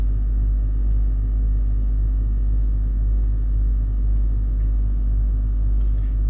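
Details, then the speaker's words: Range Rover L322 3.6 TDV8 Hitachi air suspension compressor lifting the car off its bump stops after overnight sag (codes CA120-64, C1130-7A); deep steady hum with even low pulse about two beats a second, running smoothly. "The compressor is running and we do appear we are raising Bloody hell!"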